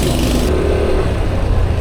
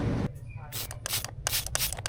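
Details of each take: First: Yamaha NMAX V3 scooter at about 10,000 odo, front brake after repair: the front pads were replaced because dirt made the caliper piston stick and not return, so the pad dragged and scraped, and the pads were thin. It now runs smooth and quiet with no rubbing. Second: Yamaha NMAX V3 front brake: the pad is still thick but sticks to the disc, giving a rhythmic scrape about three to four times a second as the wheel turns. The fault is a dragging pad from a caliper problem.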